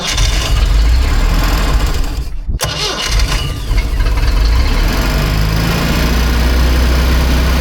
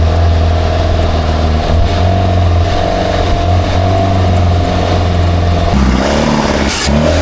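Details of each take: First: Engine of a free, long-neglected Baretta boat, clogged and stubborn, started after repeated crank-stop cycles to blow it out: cranks, catches and holds a strong, steady low rumble without misses or knocks; quiet, running really well. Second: Engine of a free, long-neglected Baretta boat, dirty carburettor: revs strongly with a steady drone and a faint rattly ping under load; running lean, carb needs more fuel; charging almost 14 volts.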